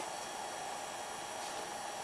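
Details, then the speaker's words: HP Pavilion Slimline s3600t (Core 2 Quad Q9300, 9800GT), heat built up on the third 3DMark06 run plus Prime95. The PSU fan spins loud with an even airy rush and faint tone, no ticking or grinding; normal under load. "this is the third run through 3D mar06 specifically is the PSU fan that's spinning loud but now some Heat's built up things no longer quiet"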